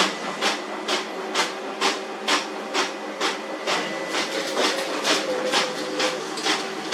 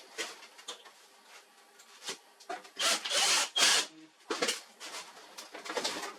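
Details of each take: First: This worn fuser drive produces loud noise an frequent paper jam. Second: HP LaserJet 4345 printer after replacing worn fuser drive swing plate assembly (RM1-0043-000) that caused loud noise and paper jams: bursts of paper-feed rustle and soft roller whir, no grinding or knocking; running normally.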